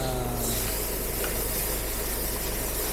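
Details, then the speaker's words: Car arrived with loud, constant hiss and bubbling from the engine; the coolant is boiling because a non-pressure ventilator cap was fitted in place of the radiator pressure cap, leading to overheating. "ini kan posisinya ada di tengkir sore ketika datang terdengar suara mendidih"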